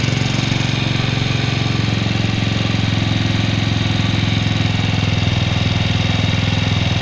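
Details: 2004 Suzuki Shogun 125R, clutch plates, clutch bell, cam chain and rubber replaced a year earlier: rapid, even ticking clatter over a steady single-cylinder idle that does not change; cause undetermined.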